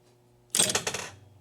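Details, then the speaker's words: Gottlieb 1974 Big Shot pinball machine chimes: sharp metallic clack-clack over each chime strike as the plunger falls back onto bare metal, its cushion missing; chimes themselves work fine. "So the chimes actually work fine, but you've got this clack, clack, clack. So what that is there is a little plunger that jumps up in the air and hits the chime, and then it falls back. And when it falls back, it's hitting this metal and making a loud clunking sound."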